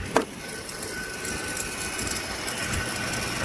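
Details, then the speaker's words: 2009 Mercedes W221 S550 4Matic idling: faint thin squeak and occasional chirps over a muffled engine, from the noisy upper idler pulley that was then replaced. "that's what you can hear a little squeaky noise chirping kind of"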